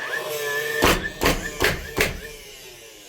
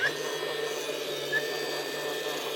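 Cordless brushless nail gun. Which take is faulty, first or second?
second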